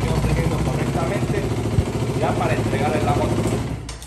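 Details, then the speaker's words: KTM Duke 200, after fitting a new starter and thicker ground and positive cables to cure a crank-but-no-start: quick catch, then steady even single-cylinder beat without misses; normal start and idle. "Y acá vemos cómo prende. Quedó prendiendo correctamente ya"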